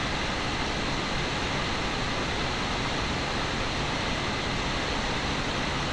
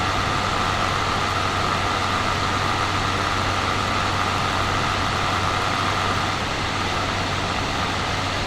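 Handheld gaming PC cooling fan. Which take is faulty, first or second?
second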